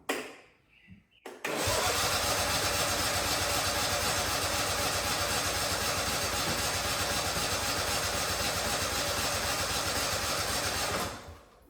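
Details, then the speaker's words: Husqvarna 2554 riding mower (barn find) cranked on a jump pack: steady cranking about four turns a second for ten seconds, never fires; no fuel flow reaching the engine, with fuel pump or tank drain suspected, later traced to a gummed carburetor. "All right, guys, we're still not getting any fuel flow. I don't know if the drain in the tank's plugged up or what's going on, so we're gonna pop this off."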